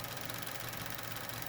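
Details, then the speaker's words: Chevy Cruze 1.4, about 90,000 miles, warm idle, recorded near the old evap purge solenoid: fast light ticking like a chain rattle that starts once coolant exceeds 176°F; faulty purge solenoid clicking. "right here this guy is the evap purge solenoid [Music] making a whole bunch of clicking noise after the uh engine coolant temperature gets above 176 degrees it starts doing that on the old one"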